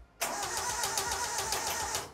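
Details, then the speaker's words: 1968 Datsun 2000 Roadster, untouched about three weeks after purchase, big temporary battery, ignition checked: even cranking about seven compression beats a second at strong steady speed, not catching; starter and compression sound healthy, normal crank with no start. "she turns over doesn't sound unhealthy or anything"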